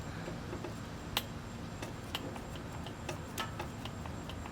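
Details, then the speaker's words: Junked John Deere riding mower being revived, key switched on while jumping the starter: quiet background with a few sharp irregular ticks and one crisp click as the fuel solenoid opens normally. Spark required bypassing the ground wire. "So you can hear that solenoid opening up. I don't know if it'll do that with the key off."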